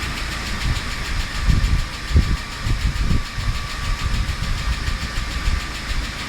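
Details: UAZ Patriot engine idling with a light irregular clatter over a low rumble and a faint steady whine; tapping hydraulic lifters.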